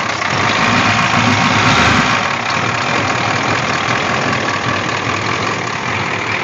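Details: Rough, lumpy diesel idle with irregular knocking and harsh clatter, plus constant blue-haze smoke, on a 6.9 diesel in a Scout after replacing a glow plug and cleaning the starter; filters flow fine, owner suspects a problem after the injection pump.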